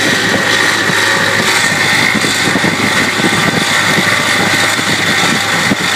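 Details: 1991 Ford F-150 4.9L engine running with a harsh, rasping rub and a steady high whine from the alternator area, caused by the alternator pulley coming off, which also explained a voltage drop.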